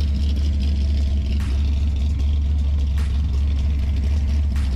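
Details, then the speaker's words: 1966 Mustang 289 V8 with 2.25" Purple Hornies exhaust, after timing cover gasket replacement, warming up at 28 degrees outside: deep, even throaty burble, no misses or knocks; no leaks, normal healthy idle. "no leaks it's running pretty good i'm letting you come up to temperature just to make sure there's no leaks"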